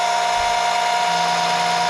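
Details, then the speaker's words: Electric oil extraction pump drawing oil from the dipstick tube of a tipped-back Briggs & Stratton HP470 mower engine into waste container. Steady high-pitched electric whine with even motor hum, no stumbling; oil coming up, normal pump running. "I'll just show you quickly on the pump you hear it takes Section see the oil coming up"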